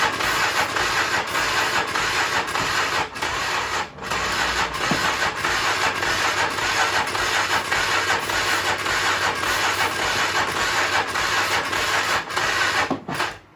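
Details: 1996 Polaris Magnum 425 4x4, weak jump box, choke on, starting fluid used: slow, uneven starter churning under two turns a second, no steady firing; hard start.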